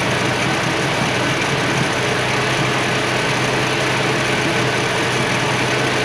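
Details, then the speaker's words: 1965 Mustang straight-six with a stalling issue; battery good and alternator charging, idle tweaked and now better; steady low idle with a slightly uneven, unsettled beat, still rough. Owner suspects a vacuum leak, but none found yet. "I tweaked it a little bit it's idling better but there's something going on here and I suppose it could be a vacuum leak too"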